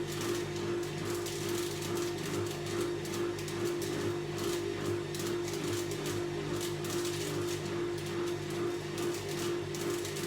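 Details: Whirlpool AWOC82120 washing machine on final spin: a harsh, steady electrical buzz with crackling from a burned extension cord arcing, which was replaced.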